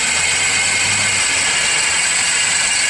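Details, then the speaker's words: Engine at idle, heard through a screwdriver held on the alternator housing: a steady, rough, high-pitched rushing whir and rattle. The power steering pump checked quieter. Worn alternator bearing. "alternator yeah every time it starts to Rattle you can hear it big big time in here just magnified"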